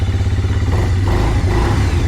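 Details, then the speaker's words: Quad bike after a carburettor change, air filter soaked with too much oil restricting airflow: at revs in gear the engine stumbles with an uneven pulsing beat and falls flat instead of pulling cleanly; bogging from a choked air intake. "because when you get the revs up in gear it just breaks down it literally breaks down you can hear it"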